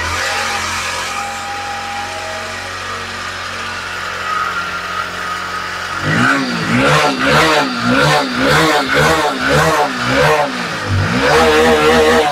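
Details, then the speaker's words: Hero HF Deluxe BS6 motorcycle with hard starting and misfire that cuts out on acceleration, after cleaning; uneven throttle blips about two a second, stumbling and not picking up speed, so still not fixed; the oxygen sensor is carbon-covered and suspected. "तो दोस्तों, जैसे ही मैं accelerator दबाता हूं, उसमें कुछ कमी महसूस होती है। तो बाइक अभी तक ठीक नहीं हुई है। देखो, यह रफ्तार नहीं पकड़ रहा है।"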